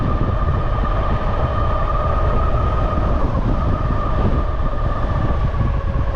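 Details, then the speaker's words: Bafang G62 1000W geared hub motor on e-bike with Flipsky 75100 Pro V2 controller, nylon gears about 3 years old, phase amps possibly too high; mid-pitched whine over coarse uneven grinding while riding, suspected damaged nylon gear inside hub. "is something wrong with my brakes what is that noise is that is is that inside of it huh"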